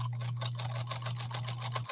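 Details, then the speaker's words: Restored 1957 Japanese Fleetwood 492-TW sewing machine stitching: quick even ticking about seven stitches a second over steady low motor hum, no knocks or binding; smooth running, slight bunching suggests presser foot pressure maybe heavy. "listen to this machine run i shut the music off it's a very smooth running machine here we go"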